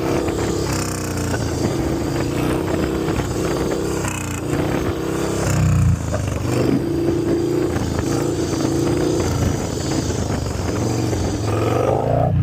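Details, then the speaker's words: 2000 Harley Dyna FXDX after a Feuling cam chest kit with Reaper 525 cams replaced a failed cam chain tensioner. Clean V-twin revs with a choppy, lumpy idle between pulls and a strong, even bark; normal revving on the performance cams. "Nice. She's back. All right, fresh 525 fueling cams. Yeah."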